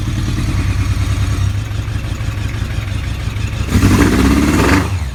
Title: ZRX Misfire